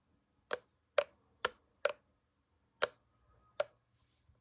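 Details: Apple MagSafe Battery Pack making sharp, dry clicks about every half second in a silent room. The cause is unknown.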